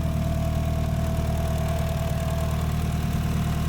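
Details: Evo engine idling after the head was resurfaced and O-ringed, with a new billet water pump pulley, Koyo radiator and vacuum-bled coolant: steady, even low idle with a faint constant hum and no knocks or misses. Normal idle.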